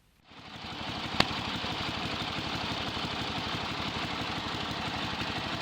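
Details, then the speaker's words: Yardman (MTD) riding mower single-cylinder engine, grounding switch wire disconnected, testing charging output after wiring rework: catches after brief start, settles to even steady beat, no knocks or misses; running normally. "Let's start it up and see if that's actually throwing out any voltage. Warning, this is going to get a bit noisy."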